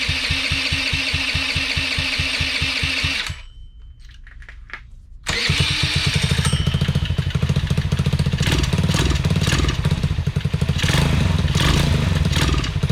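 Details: Honda Elite CH80 scooter with swapped carburetor, custom intake manifold, cone filter and quieter modified exhaust; small single putters evenly, cuts out briefly, restarts and settles into a steady, slightly uneven idle; running fine.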